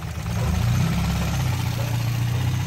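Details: Renault Clio RSi abandoned for months, started by jumping the starter solenoid since the key won't crank it; low, even idle hum settling after start, no stumbling or misfire; normal idle.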